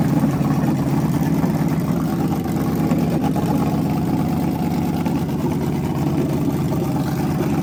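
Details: Freshly rebuilt small block Chevy 350 for an OBS Chevy truck, on a homemade run stand with headers and hot water in the cooling system: deep, steady lumpy rumble at fast idle, even firing, no knocks or ticks; healthy.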